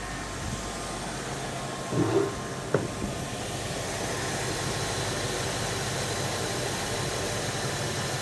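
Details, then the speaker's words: 1980 Dodge W200 with a 5.9L Magnum V8 and Holley 600 cfm carburetor, after timing set, idle turned down to about 900 rpm, still warming: low, steady, even idle with no miss or hunting. Normal idle. "the idle's a little high crink the idle down just a here where we at we're at 900 man it sounds good"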